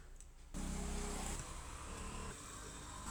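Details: Ceiling fan starts up with a loud low rumble and uneven ticking from a worn bearing; repaired by bearing change.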